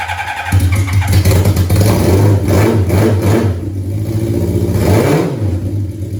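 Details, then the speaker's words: 1982 Suzuki GS650 Katana four-cylinder with cleaned carburetors, which loads up, bogs with black smoke and misses: uneven, lumpy exhaust beat stumbling through throttle blips, never a clean rhythm; still runs rough, cause unclear. "any better i don't think so but at least it runs again i didn't completely mess it up"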